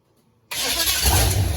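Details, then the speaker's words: Holden UC Torana, after fixing voltage drop while cranking with rewiring: engine cranks and catches straight away into steady strong running; now starts off the key normally. "Sick. Sorted. It runs off the key. Another step, another milestone."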